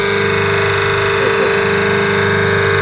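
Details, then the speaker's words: 1 HP motor used on a small flour mill, after repair of current, noise and push-start problems with the shaft and bearings replaced: steady, even hum with a constant tone, no knocking or rattles; normal motor run. "देख सकते हैं दोस्तों बहुत ही smooth तरीके से अब ये motor चल रही है। इसकी आवाज़ मैं आपको माइक लगा के सुनाऊं, देखिए पूरी स्मूथली चल रही है,"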